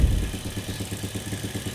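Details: Motorcycle that is heavy on fuel with a constantly black spark plug, intake valve worn loose, cheap carburetor: idle mixture screw opened to 3 turns, yet the single-cylinder idle stays dull and lumpy and won't rev crisply. Suspected rich running.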